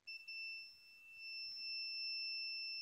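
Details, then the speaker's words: Multimeter continuity test on a PS4 CUH-1116A whose port was poorly repaired before: one steady high beep of nearly three seconds confirms a connection on that pin; all connections test good, yet the console reportedly won't start. "Ok, j'ai une connexion ici. Tout va bien. Donc vous voyez rien, mais vous entendez en principe. Donc là on a connexion."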